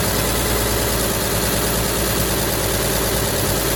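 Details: 1953 Chevy shop truck sitting 40 years, old gas tank removed, foot pedal start with a little fuel poured in: steady even idle with low rumble, no misses or knocks; normal idle, later reading 170 after running a while.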